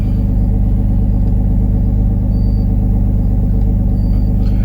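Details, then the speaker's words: 2004 Nissan Maxima with a stalling complaint; after its codes are erased it returns idle speed control and P0726 engine speed input codes. Steady, even low drone at a raised idle with no hunting; the engine is still idling too high. "i don't think the oem enhanced will do a live data on this she's still idling too high"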